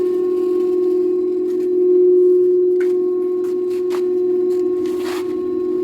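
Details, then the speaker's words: Daewoo direct-drive inverter washer-dryer (9 kg wash, 7 kg dry) during spin: a loud, steady siren-like whine at one pitch, not from the bearings. The cause was a damaged Hall sensor on the motor stator, fixed by replacing it. "the problem it's not like a bearing but it is like a siren siren noise like a pool it's it's making huge noise"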